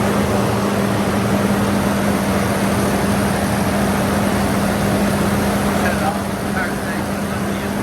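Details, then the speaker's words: 1994 Toyota 5-speed four-wheel-drive pickup, 149,000 miles, first start after sitting 8 years following new fuel pump and cleaned tank: smooth, even idle with steady low hum and no knocks or misses; sounds pretty good, normal idle. "How about that? First start in 8 years. Sound pretty good."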